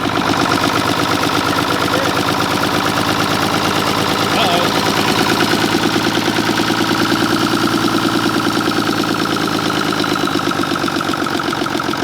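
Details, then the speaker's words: 1960s Mack diesel truck running, injection pump needing cleaning and injectors needing rebuild: a harsh, uneven clatter of about three pulses a second, a rough idle from the faulty injection pump. "We know the injection pump needs clean, injectors need to be redone, so we're not too worried about it. But I'll be god dang, there it is."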